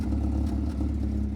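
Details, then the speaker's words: 1971 Datsun 510 L-series engine with rusted exhaust snapped off underneath, half the exhaust missing: deep, raw, blatting drone with heavy low-end pulses when revved; far too loud to drive. "I've only got half an exhaust I mean it sounds bloody ridiculous I can't drive this car like this"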